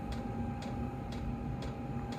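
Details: Chinese diesel parking heater on a 12 V power supply, running in manual mode on about a 32°F day: crisp, even fuel pump ticks about twice a second over a steady hum. The pump has been fixed twice and the owner believes it is starting to fail. Normal ticking.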